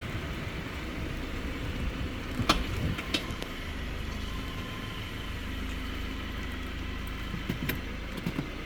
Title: subaru impreza 2014 (165k km/100k miles) passanger side suspension clunking noise